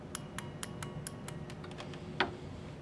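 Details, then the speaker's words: Low-current coil side of a 12-volt automotive lighting relay circuit: positive to terminal 85, terminal 86 through a switch to ground. Sharp dry clicks with a louder final snap as the relay pulls in when energized, confirming the coil side is wired correctly. "Alright, and this is the low current side of the circuit, and my suggestion, get this built first. At least you can make the relay click."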